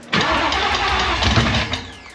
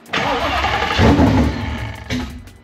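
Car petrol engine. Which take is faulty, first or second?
first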